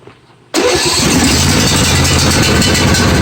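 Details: John Deere 155D lawn tractor, 22 hp 724 cc engine, after a connector was plugged in and secured during no-crank diagnosis: cranks briefly and catches at once, settling into a steady, even idle with no misfire or stumble; normal start.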